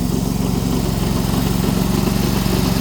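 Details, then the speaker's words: Sears snowblower-based garden tractor driving through about 4–6 inches of snow; fast, regular knocking rides over the small engine's steady drone under load, the transmission's usual knock. "transmission still doing its normal knocky knocky knocky knocky thing"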